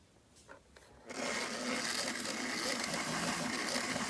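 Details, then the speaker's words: Mantua 4-6-0 model locomotive after repair, running on track: smooth, steady small-motor whir at even pitch with no grinding or clatter; runs much quieter now. "It runs much quieter now."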